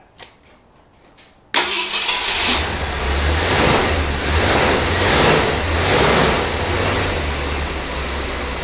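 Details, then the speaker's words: 1966 Ford Galaxie 500, first start in 44 years on a cold day: cranks, catches after about 1.5 s, then idles unevenly with surging revs. Owner thinks it runs a little lean and uses the choke; points arcing slightly. Rough running on first start. "doesn't appear to it sounds like it's running a little lean i'ma choke"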